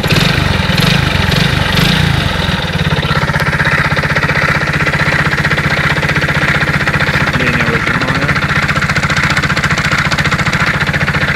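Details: Alfa Romeo engine with 15,700 km recorded before full teardown: steady idle with a dull, fairly even tapping of about three knocks a second over the exhaust; engine knock of unknown cause.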